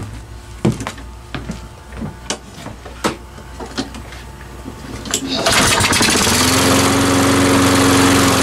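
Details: Salvaged self-propelled mower after carburetor ultrasonic cleaning and reassembly, final wheel-drive check: a few sharp pull-cord snaps, then it catches and settles into a strong, steady, even hum; running healthy.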